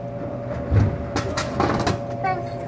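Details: Royal GIII soda machine, water column: brief motor hum then a few solid clunks as product drops cleanly, a normal vend, unlike the jamming Cherry Coke column.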